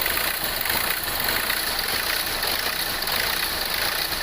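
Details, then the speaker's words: 2016 Hyundai Accent CRDi diesel at idle: an uneven misfire with idle hunting up and down over hiss; a sensor with a strainer tip was found cracked, and replacing it cured the misfire. "so mapapansin niyo yung makina natin palyado pumapalag Ayan gumagan Pumapag so ayan pag palyado po"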